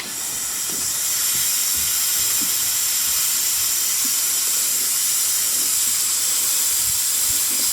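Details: Intake pressurized with a cheap boost leak tester: loud, steady, high-pitched hiss of escaping air with no rhythm; boost leak at the intake manifold.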